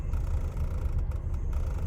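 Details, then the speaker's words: 1999 Lexus RX 300, about 310,000 miles, idling in park: lumpy uneven pulse with irregular thumps in exhaust beat; cylinder 6 misfire, owner suspects bad ignition coil as plugs were replaced 9,000 miles ago. "and this is what it's doing in the idling and i have my car on park not drive for reverse and still doing this it's not very good"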